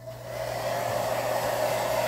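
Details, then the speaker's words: GAMA hair dryer that had stopped working, test run after repair with temperature settings 1, 2, 3 and cool all working; a steady, even fan whir with a constant mid-pitched motor tone, no rattle or cutting out, running normally. "0121 temperatura 1 2 e 3 resfriador tudo funcionando então vamos ligar na energia para fazermos o teste novamente"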